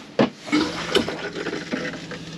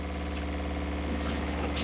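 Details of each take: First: Used motorhome water system refilled after drain-down, basin tap opened under pump pressure: irregular spits and gushes every second or so; air still trapped in water lines, spluttering tap. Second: Motorhome fresh water pump running with all taps closed while filling the water heater from the fresh tank; steady even low drone with no knocks or surging; pump sounds healthy.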